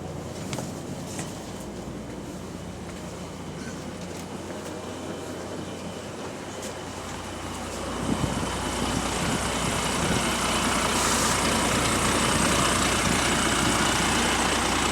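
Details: Diesel bus, Go-Ahead London WVL464 on route 89, pulling away with a loud raspy puffing that swells as the engine works harder. Exhaust leak, cause unconfirmed.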